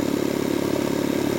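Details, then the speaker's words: Jenny air compressor with malfunctioning pilot valve switched back to stop-start operation as a stopgap until repair, building pressure toward 125: fast, even pumping chatter with no knocks or stalls, operating normally under load. "And the machine will operate normally under load"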